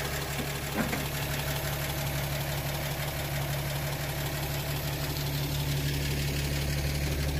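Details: 1937 Pontiac Silver Streak barn find straight engine, long sitting, just revived after the ignition points were filed: low, steady idle with an even beat and no knocks, misses or hunting. Oil pressure good. Normal idle.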